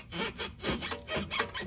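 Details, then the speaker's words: 2009 BMW 328xi, driver-side left rear control arm, arm pushed by hand: rhythmic dry rasping creak like sawing wood; the bushing is completely broken, causing a clunk when braking, and is being replaced. "The bushing is broken. So that's the reason why we're gonna change that out. Bush is completely shot."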